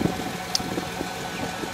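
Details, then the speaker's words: 1997 Chevy Tahoe, 208k miles, central port (spider) injector with cylinder 7 miss, after injector replacement: steady, even idle with a smooth low rumble and no miss; check engine light still on. "I'm fired up real quick I don't run swell has already started it up last night but no more miss no more missing on number seven"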